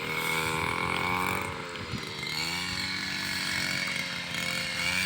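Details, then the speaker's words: Robin NB 351 two-stroke brush cutter running on premix, cutting rice stalks: a high buzzy rev holds steady, dips slightly as it bites into the cut and recovers cleanly. Starts without stalling or stumbling. Runs smooth and healthy. "เปิดเครื่องก็ไม่มีดับไม่มีสะดุดนะครับ"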